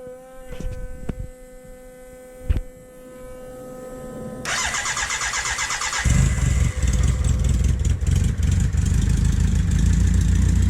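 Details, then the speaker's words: BMW K100 café racer build, first start after connecting a missed wire: quiet ticking, then the engine catches and settles into a strong, steady low rumble. It starts and runs cleanly and the tachometer reads. "Holy crap! Holy crap! Got the tacho going."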